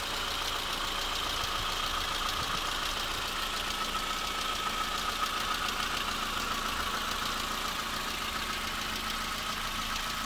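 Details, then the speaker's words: Used VW Polo 3 replacement engine after installation, cold: light ticking about three to four per second over steady idle; top-end tick, cause not yet known. "كان فيها حس وتوا تنح حس وتنحى من بعد. توا هاو فما تكتيك"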